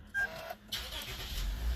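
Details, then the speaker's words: Car started the morning after a difficult alternator replacement, battery left connected overnight: brief cranking, then it catches and settles into a low, quiet rumble, partly warmed up; starts and runs normally. "saw the O made a crackling noise partly warmed up how is that possible it's running that's all I care about that's great"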